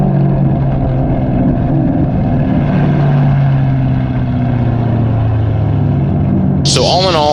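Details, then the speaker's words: SN95/New Edge Ford Mustang GT V8 with a cam, recorded by a GoPro on the rear bumper while driving after an IAC restrictor plate was installed. Exhaust drone under road noise falls away promptly when the throttle lifts for the shift; the hanging rpm is gone. "was it worth the just about 30 that i spent it accomplished the goal the hanging rpm is no longer there and that is why we got it"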